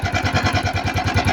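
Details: Italika FT150 motorcycle that won't stay running and can't rev: slow, lumpy single-cylinder idle with a sharp tick each beat, nearly stalling. Teardown later found a deeply scored cylinder and a damaged camshaft gear, blamed on the piston pin.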